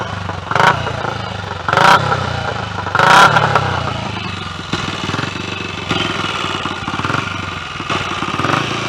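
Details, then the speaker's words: Royal Enfield 250 single-cylinder restarted after servicing, not yet fully run in: a few short throttle blips, then a steady even beat with no knocks or rattles; normal running. "i'll start it up again hopefully well that went all right bungled first gear anyway it's all working well"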